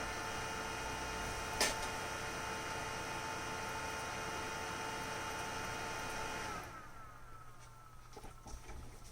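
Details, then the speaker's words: Synology DS118 NAS with a newly fitted 12 V three-wire fan, in full-speed mode: loud steady airy whoosh with a constant hum, no ticking or grinding, then spin-down; normal fan at full speed. "Full speed mode, lots of air, super cool."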